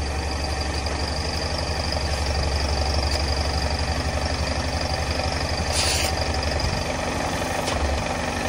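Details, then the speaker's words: BMW E46 petrol engine idling after the exhaust leak was repaired with a new, longer sleeve and paste: smooth idle, steady low exhaust pulse, no ticking or puffing, no leak. "that's good no leak"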